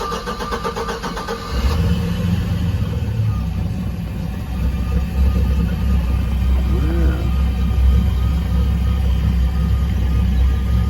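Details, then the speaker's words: Volvo Penta 4.3 V6 boat engine, after clearing failed sound-shield foam and reinstalling the cleaned flame arrestor, started with no throttle: brief crank, then steady, even low idle with no misfire. Normal start and idle. "already sounds a little better and we're gonna have to see what it does whenever you throw up I didn't use any throttle or anything to start it"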